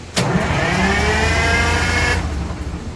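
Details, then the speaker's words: 1970 GMC Astro with Detroit Diesel 6-71 two-stroke, running after 25 years off the road; fires immediately, revs up smoothly, then runs steady and strong with no knocks or misses; normal start and run. "That sounds great. That does."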